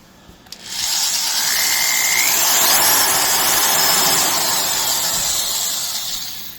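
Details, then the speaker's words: Classic DeWalt USA DW890 18-gauge sheet metal shear after servicing: high, smooth motor whine spins up, holds steady and winds down with no chirp or grind; rear bearing sounds in good condition. "Actually sounds like the rear bearing's in good condition."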